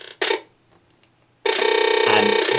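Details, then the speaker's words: Fire TV stick/Cube on a standard TV without surround system, audio output set to Dolby Digital Plus: harsh, loud pulsing electronic buzz; setting audio to Best Available removes it. "you can also try Dolby Digital plus but that is what actually caused the problem online there you go as you can see as I've selected it again the noise has come back"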